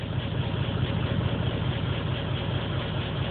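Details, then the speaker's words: Engine with 440 cc injectors on stock ECU via patch harness, fresh plugs replacing black fuel-soaked ones, P0300 and pending P0300: low lumpy idle stumbling every few beats; random misfire, cause unconfirmed. "the misfire code so it's both misfires but it's not it's not saying what song it's misfiring at just telling me it has a misfire"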